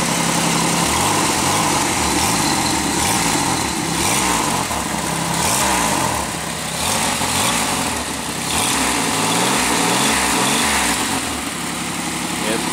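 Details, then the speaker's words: 2001 Pontiac Aztek GT, 170,480 miles, started cold after sitting about a year: idle with a rapid puffing tick, about four per second, under a hiss. The owner suspects an exhaust leak at the exhaust manifold. "I think you can kind of hear where it sounds like there is an exhaust leak down there"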